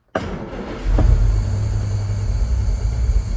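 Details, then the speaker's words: Start of a 1962 Jaguar Mark 2 off the road nearly a decade, with the fuel pump heard priming. A short crank catches within a second, then settles into a steady, low idle, rpm a little low; healthy start. "She's running, which is great."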